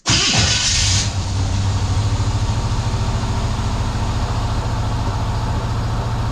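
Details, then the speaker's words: Squarebody truck after installing a boxed full exhaust kit with headers: brief crank, catches at once and settles into a deep, steady V8 burble; owner thinks an earlier starter problem was a loose ground. Normal start and idle. "exhaust sounds good let's try this charger one more time"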